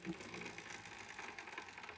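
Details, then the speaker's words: 2010 Yamaha TW200, 4,500 miles, original stretched roller chain and original sprockets, just cleaned and wax-lubed: a faint, quick, irregular ticking and clacking as the chain turns over the sprocket, still clicking from wear. "Still can hear it clocking out in there. That thing is old."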